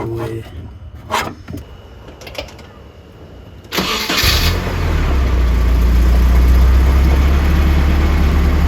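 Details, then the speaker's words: 1990 Nissan 240SX that shut down at idle, after fuel pump replacement: a brief crank, then it catches and settles into a steady even idle with no stumble or hunting; it runs properly. "So, now with the fuel pump done, car idles, starts up like a dream."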